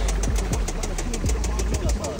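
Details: Audi bought sight unseen for about 12,000, warmed up at idle; a sharp, evenly spaced ticking knock about six or seven times a second from inside the engine, which was said to need money put into the motor.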